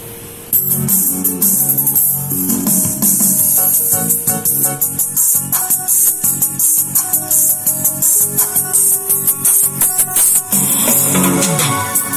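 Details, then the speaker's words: JDL powered speaker after replacing its failed, heat-marked TDA2030 amplifier IC that caused a hum: music from an MP3 player plays clearly with no mains hum or buzz under quiet parts. "Kali ini saya mereparasi speaker aktif merek JDL dengan kerusakan dengung, dan ternyata yang rusak hanya sebuah IC TDA 2030, dan hasilnya seperti itu tadi."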